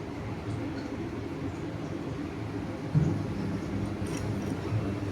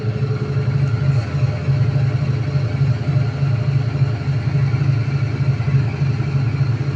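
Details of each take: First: IFB top-load washing machine with top panel off, after drum taken out and checked for spin noise: low, even drum hum through the spin with no knocking, scraping or rubbing; running normally, previous noise gone. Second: IFB 8.5 kg top-load washing machine during spin, customer complaint of loud noise: loud droning hum with rough, uneven throbbing about four a second; drum loose.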